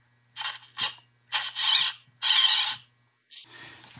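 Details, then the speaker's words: HPI Blitz RC truck steering servo after repair and remounting with double-sided and Gorilla tape: crisp, quick, powerful whirring bursts as it swings back and forth; servo working normally. "That's kind of incredible, the amount of power that sounds like it's"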